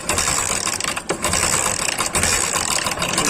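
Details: Hero Honda motorcycle that had timing chain and clutch work days earlier, now won't start in the morning: harsh metallic clatter and ratcheting over uneven cranking, never catching; a slack timing chain on a worn guide and tensioner.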